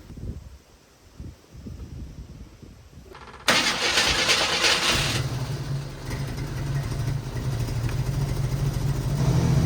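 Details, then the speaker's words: 1987 Jeep Wrangler carburetor with idle and mixture screws reset to factory settings, choke may need adjusting: catches after a few seconds of cranking into a steady, even idle with no hunting; running much better. "Way better just being standardized. Oh yeah, it's already way better."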